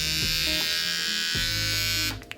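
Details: Kemei 1974B clipper from AliExpress, noise test: steady, harsh, loud high buzzing whine at full run; blade possibly dry. Loud running noise.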